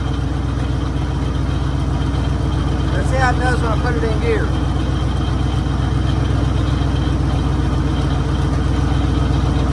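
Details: 1966 Mercury Monterey big-block Ford V8 after a fuel leak fix; steady, even low rumble with regular beat, no knocks or misses, "running like a top"; normal idle.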